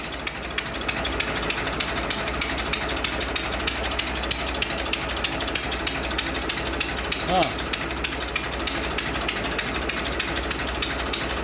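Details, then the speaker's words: 100-year-old 1924 Dodge truck engine idling as it warms up and slows down, no smoke, 'like an old log wagon': light, steady ticking clatter about three beats a second with no misses; normal warm idle. "oh it's starting to low down see that it's getting hot getting warm sound like an old log wagon"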